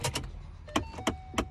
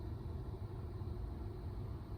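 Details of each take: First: 2012 Ford Mustang at key-on: sharp pops from inside the dash as the blend door actuator slips while trying to adjust. Heard when switched to defrost, not the bottom setting; the actuator is being replaced. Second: 2012 Ford Mustang (S197) after replacing the blend door actuator: a low, even cabin rumble with one soft click as the climate setting is switched, and no popping. The actuator moves cleanly, so the repair fixed the issue.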